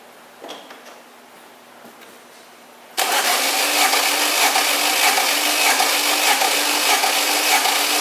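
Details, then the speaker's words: Fiat Strada 1.8 8v, spark plugs out with oil on piston, compression test cylinder one while cranking: even fairly slow cranking with no firing; under 5 bar, low compression, engine to be rebuilt. "cilindro número um e ele deu nossa Oi gente não chegou a 5 bar de pressão Ah tá horrível"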